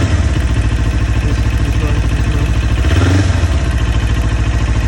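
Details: 2019 Kawasaki Ninja 400 twin idling with a fast, light ticking over the low engine beat.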